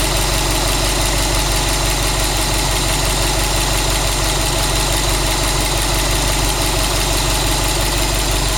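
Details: Subaru WRX STI after engine replacement, new engine 800 km, all original parts, no tuning, 5W40 oil, 2 bar oil pressure, 85°C oil, 21°C air: steady idle with even rapid ticking clatter and hiss; unusual noise, cause unclear.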